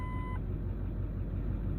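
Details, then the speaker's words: 2009 Ford F250 6.4 Powerstroke diesel at cold idle, rough for about a month with heavy smoke: deep uneven shaky rumble; misfire from faulty #7 injector, #3 also acting up; usually only when cold. "but this thing is running rough."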